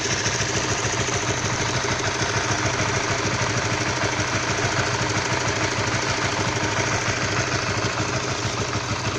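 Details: Stock Honda All New CB150R at cold idle: rough, rapid ticking knock over steady single-cylinder idle, heard when cold; cause unconfirmed.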